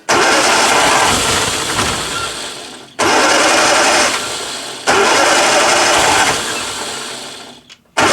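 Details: 1962 Austin Healey Sprite Mk2 with the 948cc engine, first start in over 40 years: it revs up, sags and nearly dies every two to three seconds, needing throttle each time; it will not idle, cause not confirmed.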